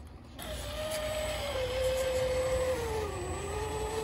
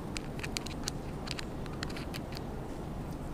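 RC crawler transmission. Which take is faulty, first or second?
first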